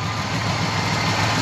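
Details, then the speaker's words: 1970 GMC 1500 with 350 V8, headers, two-barrel carb and short cherry-bomb exhaust: deep even idle burble with no ticks or knocks; smooth, healthy idle. "the engine runs nice and smooth just sits there and prayers all day long no chicks no knots none of that stuff that is a good running good sounding engine"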